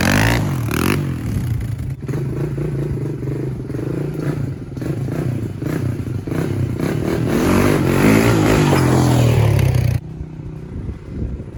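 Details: 1996 Honda TRX300EX ATV single-cylinder, brought in because it wouldn't move when put in gear with the clutch let out; warming up, it runs smooth and steady, picking up cleanly when revved with no clatter or misses, sounding healthy.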